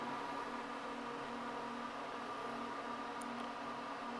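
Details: First power-on of a newly built PC with a temporary EVGA GT 1030 card: a steady, even fan drone with a faint constant hum and no rattle or pitch change, normal loud fans at first boot while the monitor stays blank.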